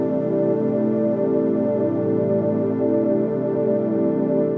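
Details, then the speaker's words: Roland D10 synthesizer after restoration for corrupted digital-distortion noise on some patches: a patch plays back as a smooth, sustained organ-like chord with no crackle, dropouts or distortion, sounding fine (recording setup had its own problems). "that sounds fine to me although I've had some problems with the sound recording on this which has been a bit of a nightmare compared to my usual videos"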